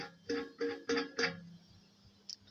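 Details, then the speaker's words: Gorenje non-heat-pump tumble dryer, disassembled, drum bearing run completely dry of grease from hot air: four quick squeaks then faint hum, noise while still cold; bearing expected to bind when warm, motor strong enough to keep driving it. "ist zu laut da ist überhaupt gar kein Fett mehr drin"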